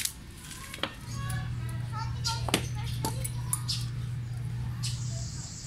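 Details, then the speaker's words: Mitsubishi Lancer starter (previously gave only a faint click, no crank) tested with a remote switch on the battery: sharp single clicks every second or so with no motor spin. The solenoid works but the starter motor is dead. "ayan pag pinipindot ko naririnig ko lang na gumagana is yung solenoid ung mismong motor Hindi so kailangan kong malaman kung gumagana ung motor"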